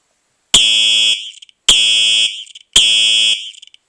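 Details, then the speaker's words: Simplex 4903-9238 fire alarm horn, 1999 date code, horn-only test: three loud shrill blasts, each ending with a faint crinkly crackle as it cuts out; owner suspects it is just electricity leaving the circuitry, unconfirmed. "it does have that little crinkly sound at the end like I'll"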